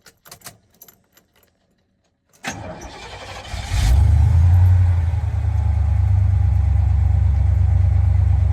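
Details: 1992 GMC Sierra 3500HD being restored, running after a fuel pump replacement and alarm disable: a few clicks, then a clean crank and catch settling into a smooth, even low idle with no misses or knocks.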